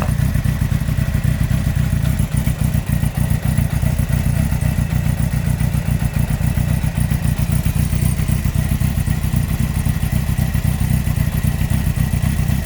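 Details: 2003 Yamaha R1 (5PW), 41k miles, big end bearing failure on cylinder 4: a heavy, uneven clattering knock at about 220 per minute under a steady run. Cam chain, valves and top end are fine; owner suspects harsh downshifts and false neutrals caused it.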